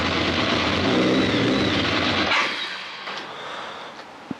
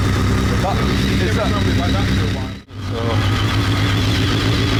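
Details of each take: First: BMW K1200 R motorcycle, all exhaust pipes hot, fuel pressure low at 2.3 bar: lumpy uneven running about two seconds then dies; rough and cutting out, traced to corrupted injection adaptation values fixed by a diagnostic reset. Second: BMW K1200 R, previously rough and cutting out, after diagnostic reset of injection adaptation values; sat two years: steady even idle, smooth low beat, warm at just over 100 degrees with fan on; runs normally, slight clutch rattle.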